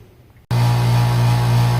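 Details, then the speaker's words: Carrier AC outdoor unit with a bad dual run capacitor, visibly bubbled: the compressor hums loudly and steadily, trying to turn over, but never picks up speed or starts. The capacitor failure was verified with a capacitance test. "here you can you hear the unit trying to turn over but this capacitor being bad doesn't have that extra oomph that juice to get turned over to start up"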